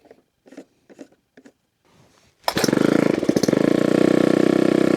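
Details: Argo engine with small fuel tank: a few weak cranks, then it catches and runs at a ragged, uneven beat, stumbling rather than settling to a clean idle. Rough running after start; owner suspects bad fuel, and unsure of fuel intake versus return lines.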